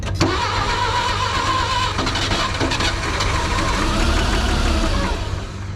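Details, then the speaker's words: Clark forklift that sat for years unused; weak, slow uneven crank suggesting low compression, catches and runs ragged for a few seconds only on ether with intake boots off; fuel starvation, runs only on starting fluid. "that sounds like a really weak crank it doesn't sound like a ton of compression go ahead and give her a shot of ether intake boots already off like somebody's been doing this and another crank"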